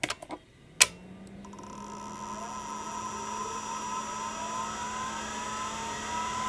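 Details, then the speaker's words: Real hard drive powered from the same power supply as a Multitech MPF-III Apple II clone test: a click, then a steady whine climbing smoothly as platters reach speed; healthy spin-up. "uh but in the meantime I've got this so you'll hear this spinning up it's pretty awesome actually"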